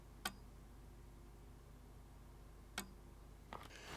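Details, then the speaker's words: Amiga 600 with a newly replaced floppy drive, 2.0 ROMs and no disk inserted: a quiet room with sharp single ticks about two and a half seconds apart, the healthy drive polling for a disk. "that shows us we have got 2.0 ROMs and it's looking for a disk I can hear it ticking"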